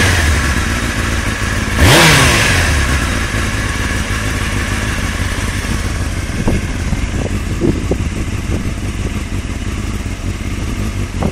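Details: Honda CBR600FM motorcycle engine idling and revving, with sharp, uneven, dodgy knocks breaking through the running note.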